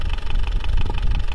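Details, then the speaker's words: Land Rover Defender 300Tdi diesel, 140,000 miles: quick light ticking about six times a second from the top end over diesel clatter; rocker-to-valve-stem clearances too large against 0.20 mm spec, need adjusting. "possibly you heard the clicking in that video but basically we have rather large valve clearances rockers to valve stem"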